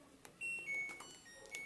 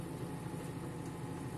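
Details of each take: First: 8.5 kg Turbo Drum washing machine in spin cycle, laundry redistributed; control beeps then steady spin hum with uneven low rumble, shaking excessively. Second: Full-speed spin of a Turbo Drum 3 8.5 kg washing machine after reassembly with the belt refitted; before the fix it shook excessively. Now a steady, even hum with no thumping or imbalance knocking, so the spin is normal.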